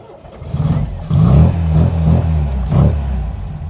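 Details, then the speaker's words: 1979 MG MGB GT cold start on choke: cranks, catches, then runs lumpy and uneven with surging for a few seconds because the choke was closed too slowly. "okay started it's not happy okay and that's because i didn't close the choke fast enough"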